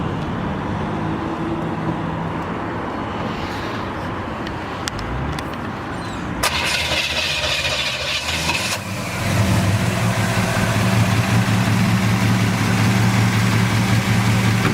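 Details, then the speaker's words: 1940 Ford pickup with 350 Chevy crate V8, Edelbrock 650 carburetor, 1,700 miles on build: fires and settles into smooth, even, low idle with no knocks or misses; healthy engine running cool. "Nice and smooth, nothing radical, right? No, very smooth truck, very healthy engine. Runs nice and cool."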